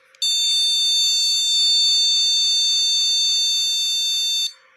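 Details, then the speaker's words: Motherboard with RAM not detected, same as booting without RAM: one long steady high-pitched beep about four seconds; owner suggests removing and reseating modules one at a time, possibly one bad RAM module. "Sama seperti sebelumnya, seperti menghidupkan motherboard tanpa RAM."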